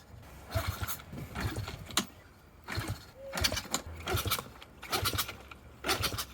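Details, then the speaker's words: Kick-start-only pit bike rebuilt after crash, no fuel reaching carburetor: repeated kickstart strokes about once a second, each a brief churn with no firing. "The main jet is completely clogged, and the pilot jet is also completely clogged."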